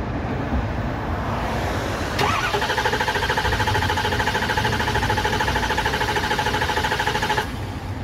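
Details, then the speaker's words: Truck that ran out of fuel near a quarter-tank reading, now being primed: steady starter whir with rhythmic compression pulses and no catch; cranks but won't start because of air in the fuel lines. "we still have to make sure that the fuel pump is primed there's no air in the lines or else we're going to be back in the same spot we were in cranking on it with a with a no start this morning"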